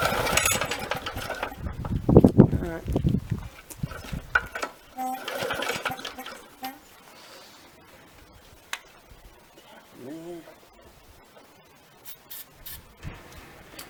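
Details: Victa 375 lawnmower, two-stroke, long stored in a shed, cord-pulled outdoors: several short rough spinning rasps that die away with no firing. Spark plug wet with oil inside, smelling of petrol. Cranks but won't start.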